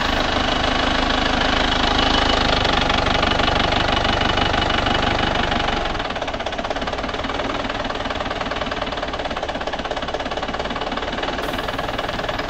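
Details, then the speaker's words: Panther diesel engine, just repaired for an oil and compression leak and heavy smoke. This is the first start after repair, slow to fire because the nozzle lines were empty. Steady, even clatter at idle while warming up, sounding healthy. "Nah, sekarang sudah berjalan, hadirin sekalian. Kita biarkan memanas sampai panas."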